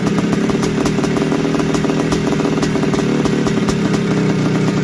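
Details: 1981 Suzuki RM465 two-stroke barn find, first start after fuel poured down the plug: fast clattering rattle over a lumpy idle; owner suspects it needs a top end, heavy smoke suggests blown main seal, clutch side suspected.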